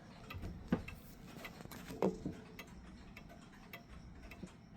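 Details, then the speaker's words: Yosh dual chime mechanical clock running in beat before any adjustment: quiet, unhurried tick-tock in a small room, the alternating beats evenly spaced. "it is in beat."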